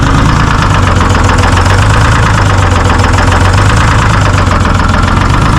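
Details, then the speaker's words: Terex 72-31 loader with 6V53 Detroit two-stroke diesel, first run in 20 years; uneven, lumpy, stumbling idle under the clatter; owner suspects a couple of hung-up injectors, not confirmed. "Sounds like it might have a couple injectors hung up."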